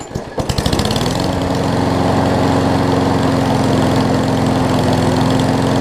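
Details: Craftsman push mower after an oil change (old oil seemed to have water and mess in it): catches within a second and settles into a steady even drone with no surging or misses, running a lot better. Normal running.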